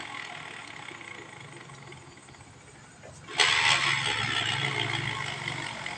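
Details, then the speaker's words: Automatic scooter CVT, which was hit with a chisel, bogs and lacks power at mid-high rpm. With the pulley fitted and tested, the engine fires and a coarse, gravelly rumble rides over the idle: the CVT bearing is worn and needs replacing. "suaranya udah kasar ya. Bearing yang biasanya ini udah kena, harus diganti."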